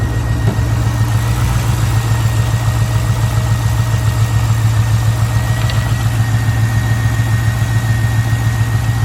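V8 idling with an uneven, lumpy pulse, about three to four beats a second that stumble rather than stay even; rough idle.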